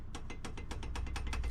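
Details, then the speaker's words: 2006 Subaru STI front brake, wheel off, being checked with a pry bar for a click when braking and over bumps: quick sharp metal clicks about seven a second; owner suspects pad and caliper movement. "the caliper again i think that's the noise i might be hearing this subtle clicking dude i don't even know if these calipers make that noise"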